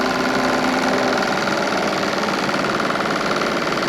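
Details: Model boat's Stirling engine with variable-pitch propeller, heated through the chimney and running: fast, even, light ticking with a steady mechanical buzz, no stumbles or knocks; running smoothly.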